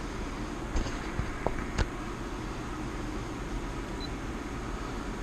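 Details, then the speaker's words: Mitsubishi Outlander PHEV after a 15 A charge to about 99.7%, with a battery that no longer holds charge: a steady airy rush with light clicks as the A/C and fan cool the battery, fan at 47%, about 750 W. Normal operation. "That's the air condition for cooling down the battery."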